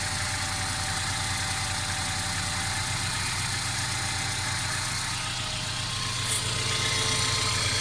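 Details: Mercedes CLA 250 at steady idle: fast, fairly even rattle of three or four beats a second over the engine note; constant engine rattle, cause not pinned down; car also stutters accelerating after long slow driving.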